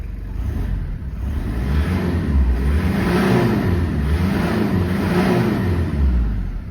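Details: 1995 Toyota Land Cruiser KZJ73, 3.0L 1KZ-T turbo diesel, hood closed. Even clatter at idle, then two quick free revs that rise and fall cleanly with no knock or miss. Healthy engine.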